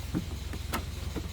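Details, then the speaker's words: NA Mazda Miata after variable valve timing failure from untorqued cam bolts, with the intake charge tube reseated on the mass airflow sensor that had caused stalling: steady even low idle with a faint light valvetrain tapping; otherwise smooth and healthy. "i figured it out the intake charge tube was uh not seated correctly on the uh mass airflow sensor but now it's just fine listen to that [Music] taps like a diesel and"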